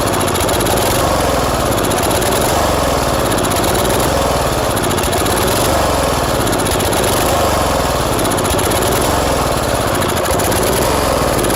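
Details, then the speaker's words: Old tiller engine running after gas was added to the tank, throttle low. Uneven running, surging and sagging every second or so with a rough, loping beat; the carburetor leaks at the fuel pump and runs too rich even at the minimum setting. "You can see the problem the carburetor's having. It's leaking right out of the fuel pump and right here. And it's running way too rich."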